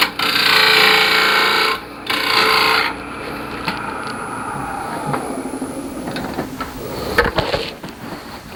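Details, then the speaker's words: Sphere turning on a wood lathe in soft poplar: smooth steady hiss of a sharp gouge shearing spinning wood, no chatter or catches, cutting cleanly. "This is just poplar. It's really soft wood. Should be tearing it to pieces, but it'll cut really well if the tool's sharp."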